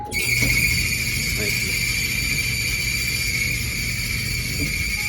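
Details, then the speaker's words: Whirlpool clothes dryer, about 2–3 years old: a loud steady high-pitched squeal over the low drum rumble from startup, caused by a dry idler pulley bearing and fixed by lubricating the bearing with no new parts. "just a horrible noise"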